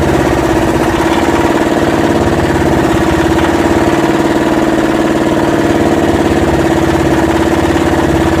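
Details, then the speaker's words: Yanmar SB12 marine diesel after fuel line repair, bleeding and mounting the primer bulb vertically: steady idle clatter with an even beat, no hunting or stalling over several seconds; fuel system holding, normal idle. "Pretty good. Keep running it for a while. Make sure it's all the air's out of the line now."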